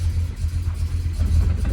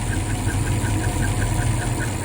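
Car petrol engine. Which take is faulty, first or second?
second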